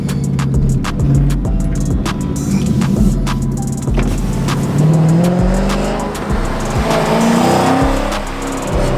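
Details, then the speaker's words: Dodge Charger Scat Pack 392 V8 idling: rough, uneven rumble with irregular metallic rattles from the exhaust, music behind; owner suspects an exhaust valve not opening rattling the muffler. Unconfirmed. "that rattling noise is the damn um valve thing not opening bruh making the whole muffler shape ah it sounds so busted"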